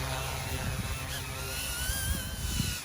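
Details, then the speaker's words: OMPHOBBY M2 RC helicopter flying a 2-inch EMAX tri-blade tail rotor: a thin high scream rising and wavering over the main rotor whir under load; tail rotor too small, needs a bigger one, maybe 2.5-inch. "it's not really big enough. Yeah, it's not built for it. It needs a bigger one."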